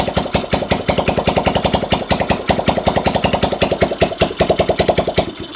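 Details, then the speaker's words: Carbureted motorcycle (Seon) with compression loss, likely from valves, needing oil in the cylinder to start, test run after repair without the exhaust fitted: loud crisp open-pipe popping, even, about three firings a second, no misses; runs well. "ini knalpot belum saya pasang pasti suaranya agak bising nanti ini belum saya pasangin yang penting kita tes hidup dulu"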